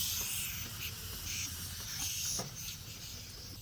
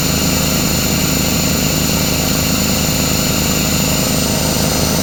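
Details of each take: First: Craftsman 33-gallon air compressor, motor off: faint steady high hiss as air escapes at the air hose coupler; the earlier pressure switch leak was fixed via the check valve, and the coupler still needs replacing. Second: Craftsman 33-gallon air compressor, after repairs (piston, seal, belt, pressure switch leak): loud steady pumping drone with a low throb and no hiss or knock; filling normally.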